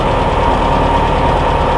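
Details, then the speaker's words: 1976 John Deere diesel combine, cold start on a 30-40 degree night after a dead battery was jumped from an F-150, ether-assisted, clutch pressed: steady even clatter with heavy low rumble; cold diesel idle, charge light out so it's charging. "the light went out she's charging I guess what I did was a cold start for y'all"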